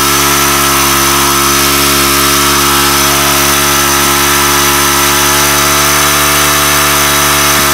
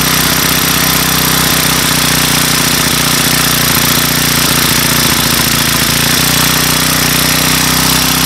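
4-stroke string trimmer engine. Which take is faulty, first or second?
first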